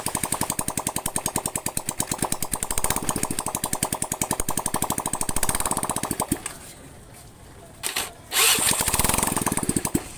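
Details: Honda Vario carburetor scooter, single cylinder, after full engine teardown, internal and carb cleaning, radiator refill, water pump replacement and 50 oversize rebore: quick evenly spaced putter for about six seconds, then clean shutoff; healthy.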